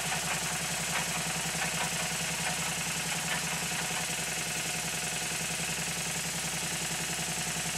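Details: Minnie-type traction engine test-run on compressed air: steady chuff about ninety beats a minute over constant hiss; air leaking near the cylinder and regulator not closing fully.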